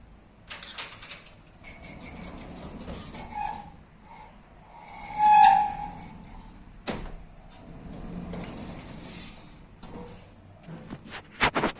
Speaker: สวัสดีครับวันนี้จะพามาดูการแก้ปัญหาประตูอลูมิเนียมแบบบานเลื่อนมันตกและขูดกับพื้นจนมีเสียงดังพร้อมกับพื้นที่เป็นรอยลองฟังเสียงดูดีๆนะครับว่ามันขูดกับพื้นดังขนาด